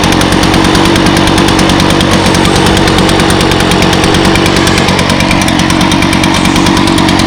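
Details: 2014 Echo PB-500T backpack blower, 50.8 cc two-stroke, built August 2014 and used last week, started on choke with primes. A loud, steady two-stroke buzz holds even speed with no stumbles or surging; it runs strong and healthy.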